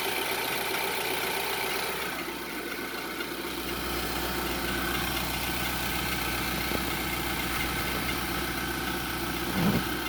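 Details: 2011/2012 Infiniti QX56 (Armada) with a loose timing chain: at cold start and idle a loud high whistle with light uneven rattle underneath. The whistle eases when warm, but returns under hard acceleration and around 3000 rpm and above with slight chain rattle.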